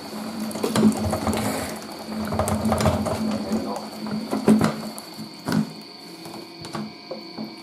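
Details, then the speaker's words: 1980s Tefal Spinmaster spin dryer (Calor, 2,200rpm max) spinning wet towels: a steady hum broken by irregular heavy thumps as the lightweight plastic tub jumps and shakes. Unbalanced load shaking. "bit of a diva this thing right um but it's cause it's got a plastic tub rather than a metal one so it's very lightweight and it shakes"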